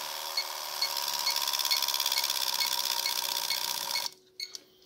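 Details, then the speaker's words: 24-valve Cummins on a second-gen Dodge frame, standalone wiring, lift pump powered directly with a Power Probe: steady high-pitched buzz with light regular ticking about twice a second, then cuts off cleanly; lift pump running normally. "if you stick your Power Probe your negative lead on the one the black side positive lead on the other side that's how that's how lift pump's working you can hear it starting to chug now a little"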